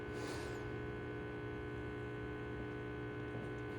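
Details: Restored Andreja Premium E61 espresso machine, warmed up with boiler at 1.4-1.5 bar, brewing a shot with grind too fine and pump reaching 12 bar: a steady, even low buzz with no surging or rattle; pump running normally.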